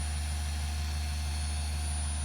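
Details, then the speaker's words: Torq 10FX compact polisher recorded up close: steady low hum with a thin high-pitched whine like a little jet engine, constant speed, no grinding; its normal sound, the one noted negative. "that's the high pitch whine like a little jet engine. That's why I brought you in close so you could hear it."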